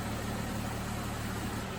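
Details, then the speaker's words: Jeep two-speed radiator cooling fan after a failed relay was replaced, engine idling: steady whooshing rush of air over a low even idle, fan running normally on high speed. "I don't know if you can hear that or not but the fans running normally if it's to speed fan this slow speed you wouldn't be able to hear running it's just pulling a mild amount of air across the radiator but when it's running on high you can hear it by walking in front of it"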